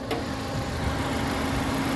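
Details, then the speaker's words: 2010 Kia Picanto 1.1 (1100cc four-cylinder, front-wheel drive, automatic, 98,000 km) at idle with the hood open. A steady, even hum with a constant rhythm, smooth sound and minimal vibration: a normal, healthy idle. "untuk memeriksa kondisi mesin masih oke pertama kita perhatikan adalah suara mesinnya dari ritmenya dia konstan beraturan suaranya juga halus serta getaran mesinnya juga minim"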